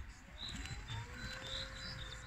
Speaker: jetzt auch das surren vom drehteller. der roboter beginnt zu mähen. man sieht jetzt unten drunter auch die rotierende scheibe.